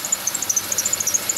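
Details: Chevy Venture van at idle: high chirping squeak pulsing about eight times a second; owner judges it the idler pulley directly below the air pump pulley; dry idler pulley bearing squeal.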